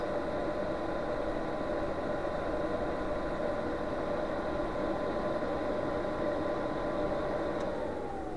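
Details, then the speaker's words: Chinese 5 kW portable diesel heater on bench test, battery about 12.2 V, after 12 minutes running: steady fan whir with faint hum, tone sinking as the fan spins down to cut-off; normal shutdown. "we go and the fan stops so that is now off"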